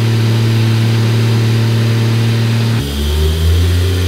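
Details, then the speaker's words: Toyota Supra started for the first time after rebuild with new parts and new manifold: strong, even engine drone stepping down smoothly as revs drop, no ticking or leak hiss, left running to monitor temperatures and check for leaks. "now that it's running we're going to let it go for a little bit we're going to monitor temperatures and we're going to look for any leaks"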